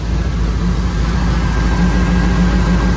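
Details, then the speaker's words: 1959 Ford wagon V8 after replacing a fouled spark plug and wire (likely loaded up by the old rich-running Q-jet): steady, even low rumble with no misses. Now idles cleanly on all eight cylinders. "now that sounds like an 8 cylinder all right so I guess we just had a foul plug"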